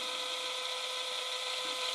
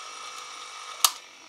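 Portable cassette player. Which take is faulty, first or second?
second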